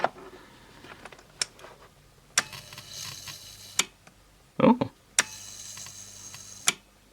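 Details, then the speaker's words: Cheapest USB charger under insulation test, 3 mA leakage: irregular sharp snapping cracks about once a second over a faint buzz; arcing from insulation breakdown, probably inside the transformer; insulation test failed. "surprisingly not I definitely hear it though yeah I definitely hear arcing H I wonder where it is it's probably inside this Transformer here"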